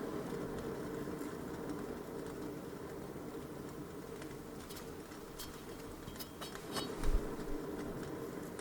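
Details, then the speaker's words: Wheel turned slowly by hand with brake disc and pads removed, so only the bearing is heard: silence at the start, then a faint rough low rumble with a wavering whoa-whoa rolling sound from a bad wheel bearing. "listen this is starting point silence then I rotate we can hear this whoa whoa and this rolling sound it is bad"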